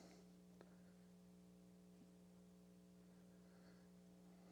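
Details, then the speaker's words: Telefunken Sonata tube radio, smoothing and rectifier cans rebuilt, first power-up on dim bulb, AM: loud steady mains hum present with or without volume, not rising with volume; suspected bad ground somewhere, probably on a vacuum tube, not confirmed. "There's a hum present. I don't know if you can hear it. It's pretty pretty loud."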